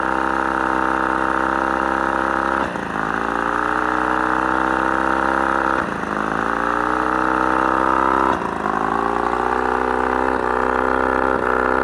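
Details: Mercury 35hp two-stroke outboard at mid throttle: steady running, then a dip and cough every few seconds that almost cuts the motor before it recovers; intermittent misfire, otherwise runs great.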